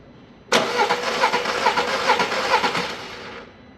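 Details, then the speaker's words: Engine that would not run, cranked after a timing belt and tensioner replacement: uneven cranking about two turns a second with a hollow ticking pulse, never firing. Valves are bent with noise in the cylinder head, so the head will be removed. "bir daha arkadaşlar sibob eğmiş beraberinde de zaten itecek olduğu yerde yani silindir kapağında da ses geliyor"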